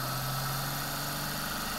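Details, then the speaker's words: Bedini-style pulse motor built from a window motor, fed 12 V from an external supply, running on one coil after spin start: steady hum with faint rapid coil-pulse ticking; spins up quickly and runs freely. "like any other bendini motor it has to be kind of spin start you can hear it taking off and those coils"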